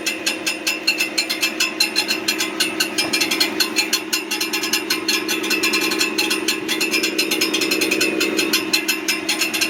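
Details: Brand new 2023 Ford F-150 with 400 miles making a fast, steady metallic clicking, clanking, rattling and ticking over a quiet engine hum, near the transmission; source unconfirmed.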